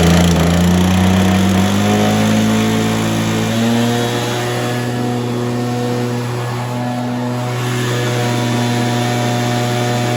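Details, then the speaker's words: Stihl BR430 two-stroke blower, sat for an unknown time, run on choke after priming: drone sags to lower pitch after a few seconds and settles unevenly; rough running, wants choke. "I don't know how long it's been sitting for sounds like it wants to run with a choke on"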